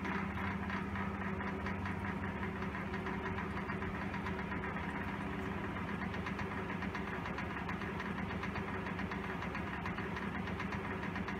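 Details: 1923 Emerson type 57568 16-inch six-blade 50-cycle ventilator exhaust fan at very low rpm: slow drone with uneven rattling racket about four times a second; motor racket plus out-of-balance blade, motor sometimes fails to start.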